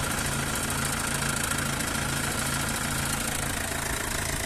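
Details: Mercedes W212 with OM651 diesel idling with the belt removed: steady low hum with an uneven knocking about three or four a second; the weird noises remain with the belt off.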